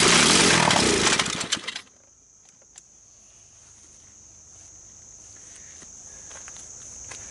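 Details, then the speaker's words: Chinese 110cc ATV that was run hard through mud and inhaled water, grass and dirt without an air cleaner: harsh rasping grind for under two seconds as it cranks and nearly catches, then dies; owner suspects something broken in the starter, unconfirmed. "so it almost starts it almost runs um what do we know what don't we know the starter obviously has issues sounds like something's broken in there"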